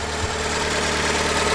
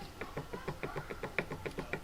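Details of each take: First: Fiat 500 petrol after cambelt replacement, warm after about 10 minutes running, idles smoothly with no top-end knock; knocking gone after cleaning clogged cam variable valve timing solenoid filter, likely starving it of oil. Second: Fiat 500 water pump removed during cambelt replacement, spun by hand in a vice: steady dry ticking about three per second with some clunks; bearing has play, suspected from running dry after a radiator leak, so worn pump bearing, new pump fitted.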